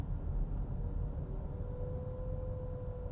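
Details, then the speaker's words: JAC E-J7 electric car slowing below 27 km/h, when the loud low-speed pedestrian warning hum switches back on. It sounds louder inside the cabin than outside. "uma situação que a mais incômoda desse carro aqui é o ruído que ele faz até 27 km por hora para auxiliar deficiente visuais olha como é alto"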